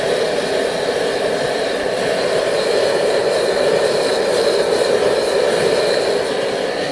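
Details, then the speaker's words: Homemade wood gasifier, upgraded to 3/4-inch syngas outlets, blower at about 7/8 speed: steady loud rushing roar with hollow tone, velocity audibly changing; gas pulled smoothly, running normally. "7/8 you hear you can hear the velocity changing in"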